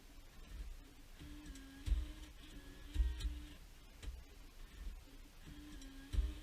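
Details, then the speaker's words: 2006 Jeep Liberty after BCM replacement with the battery reconnected and the key on. Irregular soft clicks and whirring bursts, about one a second, come from the stock radio's CD changer behind the dash. This is normal changer initialisation. "Okay, that noise that you just heard, that was the CD disc changer behind the dash for the stock radio. Whenever you disconnect the battery and reconnect it, then turn the key on, it does that."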